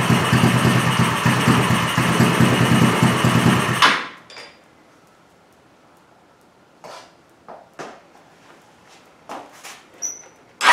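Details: Small engine running on straight Seafoam: four seconds of uneven, lumpy firing, then it dies and only handling knocks follow; the spark plug is drenched in Seafoam and the fuel wasn't combusting.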